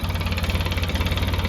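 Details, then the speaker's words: 2007 Polaris Ranger 700 after electrical repair and throttle position sensor adjustment: idle set about 1080–1090 rpm, steady even low thump with no stumbling, no longer dying when coming off throttle. "so I got my idle set about 1080 1090 I did that while this was running and uh played with the TPS a little bit"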